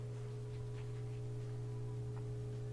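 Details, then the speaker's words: Whirlpool direct-drive front loader whose door won't unlock, running the drain-and-spin cycle: a steady low electric hum with a fainter higher tone and no sloshing, from the drain pump working normally on an empty tub. "can hear i can hear the drains active but there's no water in there so you don't really hear it sloshing around"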